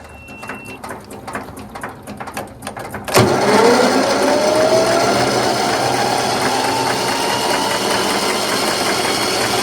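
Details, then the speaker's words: Troy-Bilt Gardenway 47278 vac chipper with Briggs flathead horizontal engine and 12-volt electric start: faint ticking, then a loud whirr rising in pitch as the starter cranks normally, showing the solenoid and starter motor work. "Well, good to know that the solenoid and the starter motor works."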